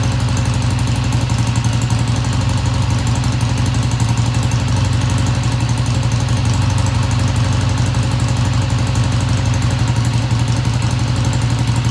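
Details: 1971 Triumph T120 twin, first cold start after cleaning pilot jets: steady, even twin beat at a settled idle, no knocks or misses; idle fast at first then kicked down, running healthy, no tach fitted.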